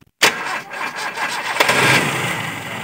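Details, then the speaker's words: 1988 Toyota Kijang Super after carburettor service and ignition timing adjustment, idle about 500 rpm: short crank catches almost immediately and settles into a steady idle; starts easily, normal. "Mesinnya juga mudah dinyalakan."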